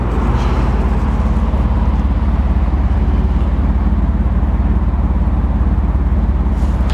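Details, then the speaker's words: 1991 BMW 850i (E31) V12, salvage car repaired incl. battery and all 12 ignition wires, performance exhaust: deep, even burble at the tailpipe, steady with no misses or surges; runs smooth enough to balance a pound coin, normal idle. "there you can balance a pound coin on the engine that is just how well it's running"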